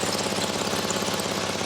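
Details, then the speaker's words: UK-spec 2006 Porsche Cayman S 987, 3.4L manual, rebuilt after a crash and checked underneath for its MOT. A steady, rapid puffing hiss pulses over the idle and sounds like it is near the manifold. The exhaust is blowing; the exact cause is not confirmed. "But yeah, we are definitely blowing. That's going to be our problem."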